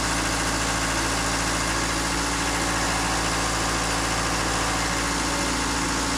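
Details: Takeuchi TL26 tracked skid steer after drive motor repair, tested with left track off the ground: steady diesel idle with even hum and smooth hydraulic whirr, no knocks or grinding; healthy.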